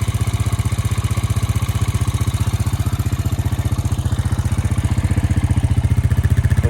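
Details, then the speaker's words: 2002 Honda Rancher ES ATV that sat 12+ years, running after a hot battery and carb clean; an even, steady putter about four beats a second with no misses, a normal smooth idle. "like it's running pretty good now it's time to clean it up and go ride it"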